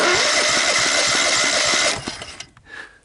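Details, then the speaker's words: 17.5 hp Kohler overhead-valve riding mower engine, about 40 hours, sat outdoors for years with mouse nest, cranked on electric starter with plug in before starting fluid; even, evenly spaced compression beats about two seconds, compression sounds healthy. "sounds like it's got compression and all that wonderful stuff"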